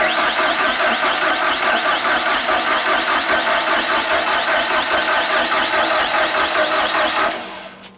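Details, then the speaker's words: 1992 Genie boom lift engine, suspected flooded, cranked at wide open throttle with no choke: starter churns about 2.5 turns per second for seven seconds, never catches; fuel delivery uncertain, spark present. "well we think it's a little flooded so we're just going to do wide open throttle with the yellow pull string no choke just go for it"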